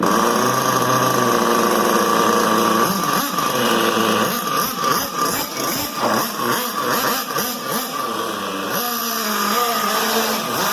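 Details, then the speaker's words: XTM X Factor RC with a newly transplanted 24.7 nitro engine, still being tuned, low-speed needle adjusted and possibly not warmed up: high buzz surging and sagging as if starving, then cutting out. "so it did cut out the adjustment now but i mean it's just still still getting in the tuning process"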